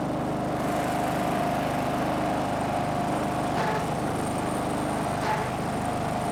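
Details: Snapper riding mower, garage-stored by the original owner, runs after the angled fuel tank that starved it of fuel was set back in place; a steady single-cylinder drone holding one speed, no misfires, surging or knocks, normal.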